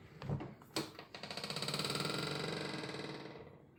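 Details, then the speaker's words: simplehuman pedal trash can, about a year old, gives a few clacks, then a long, rapidly stuttering creak-squeal as the lid slowly swings shut. The squeak seems to come from the lid mechanism. "After a year owning each one, they both make this obnoxious squeak sound. I feel like it's coming out from somewhere in there."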